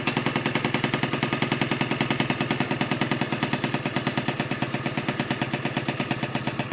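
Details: First start of an MT5 after renovation: crisp, even two-stroke popping at a steady fast beat with no misses or knocks; engine running cleanly.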